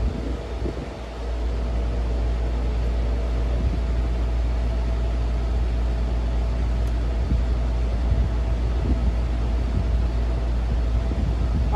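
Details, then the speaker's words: Vintage RAKS DF-12TK desk fan (Turkey, 110/220 V), previously seized, after lubrication, greasing and pen-spring gearbox fix, blade fitted: steady low hum and even blade whir, no scraping or ticking; runs smoothly. "So I think that's working fine."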